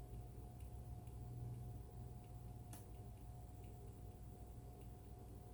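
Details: Alienware Aurora R8 computer: faint light ticks about twice a second over a steady low hum and a thin tone; unexplained ticking noise from inside the computer.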